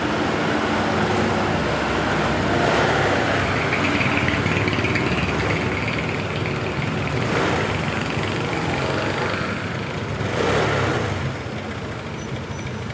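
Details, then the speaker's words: Honda Beat LED Deluxe scooter, earlier cutting out with code 7, idles steadily and revs cleanly without stumble after DTC cleared; loose EOT oil temperature sensor socket suspected, to be cleaned and tightened. "Oke, sudah normal."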